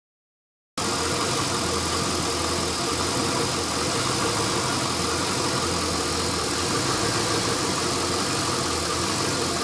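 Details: LS1 V8 after new intake manifold, headers and EGR/AIR delete: uneven loping idle with steady hiss; rough idle caused by an open fitting left uncapped after removing AIR/EGR parts, not the ECU tune; fixed with custom hoses.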